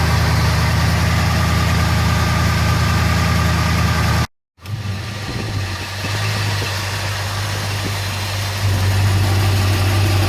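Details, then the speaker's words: Engine at idle: a smooth, steady, quiet hum with no knocks or ticks. A compression test about 5 years ago showed the two rear cylinders low, which the owner thinks would improve hot. Normal idle. "Yeah, you should have recognised when I started it, but listen to that. There's not a sound. This is why I won't take it out."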